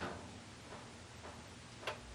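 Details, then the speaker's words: Casablanca Panama 5-blade ceiling fan, probably late 1990s, after oiling the bearings: faint uneven ticks and rattling as it turns; oil did not help, worn motor bearings to be replaced. "oh yeah not even high and you can hear those things man they'll sound bad I have not had a Casablanca that sounded that horrible after oiling the bearings"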